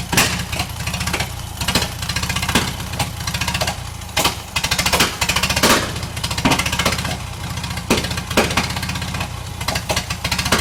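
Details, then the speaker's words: Bantam T35 crane's LeRoi D176 gas four-cylinder, long-sitting; ragged with sharp irregular pops, a misfire the owner blames on the magneto. "all right so i screwed up reeving the hoist like i said you can hear that engine doesn't want to run right and i i swear it's the magneto"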